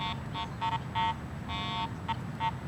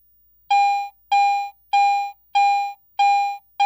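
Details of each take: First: Garrett AT Pro International metal detector ground balanced for neutral soil, swept over a highly mineralized pit of dirt: repeated high beeping bursts of uneven length, ground chatter from improper ground balance. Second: Garrett AT Pro International metal detector in Standard Mode, coin passed beneath the searchcoil: eleven identical full-strength mid-pitched beeps about every 0.6 seconds; binary audio, a normal steady target response.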